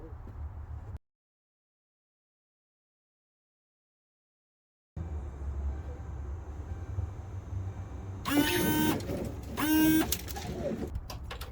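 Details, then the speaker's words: 2011 Ford Crown Victoria Police Interceptor new windshield washer pump, bench-tested before refitting: two short buzzing whirs as the motor spins freely; normal operation, confirming the old pump was bad. "I hear the sound of success. Excellent. So, Mr. Old Pump was bad."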